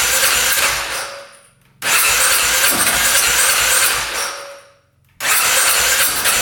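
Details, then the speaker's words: 2010 Polaris Sportsman 550 EFI ATV, not run in years, just after cutting a blocked case breather line: repeated long cranking bursts with one brief catch that dies back; cranks but won't start, though it ran shortly after. "Sound like wanted to go there for a sec. Keep on going with it. [Applause] That was the closest we got so far. That almost fired up."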